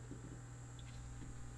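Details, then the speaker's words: Aiwa AD-F460 cassette deck in play mode with a tape loaded: faint steady motor whirring with no tape movement, sometimes a weird noise then it stops; drive motor runs but capstan doesn't turn. "you can hear the motor whirring, but the capstan doesn't move, and it sometimes makes a weird noise and then stops."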